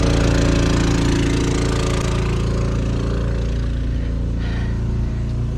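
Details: Champion 3500 portable generator in a 1990 Fleetwood Bounder motorhome, about half an hour running the air conditioner at 79°F outside: smooth steady drone, no surging, knocking or rattles; normal running under load.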